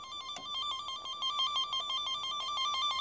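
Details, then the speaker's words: Peugeot 107 wiring traced with a signal-injecting tracer probe: steady, loud, evenly pulsing high beeping tone along the intact wire section, going quiet at the break. "you can hear how loud that is and as we get to the brake it goes quiet see the difference in the tone you know exactly where that brake is"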